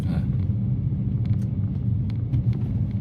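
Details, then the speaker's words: Kia All New Morning bi-fuel LPG, three-cylinder under 1000cc, about 170,000 km, after repairs: under load the engine drones deeply ("웅") but the car barely accelerates, typical of a low-power car; steady low boom, no fault. "들어서면 엔진이 웅하고 소리를 내지만 차는 안 나가는 저출력 차들의 특징은 당연히 가지고 있고"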